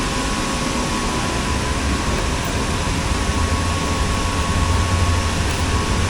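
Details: Eco Angus hot air burner with gasification reburning the smoke, steady low roar with even fan hum and faint constant tone, no surging or rattles; burner and fans running normally.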